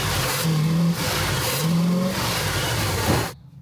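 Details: 1971 Pontiac Firebird Formula V8 with Quadrajet carburetor already rebuilt (needle, accelerator pump, secondaries, float): revs in uneven surges that flatten and stumble under throttle; bog suspected to be spark-related.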